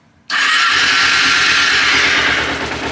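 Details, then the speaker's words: Bike from a five-motorcycle purchase, makeshift key system, battery connected, in neutral, no fuel pump heard; silence then it catches within half a turn and settles into a quick even idle, possibly needing a new ignition. "oh well that literally started half a turn that was a lot easier than I thought it would be"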